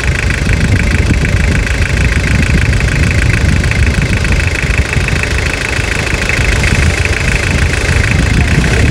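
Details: Toyota Hilux (1992–2001 generation) diesel after full restoration: even, steady diesel clatter at idle with constant rhythm, no misses or odd knocks; engine runs healthy.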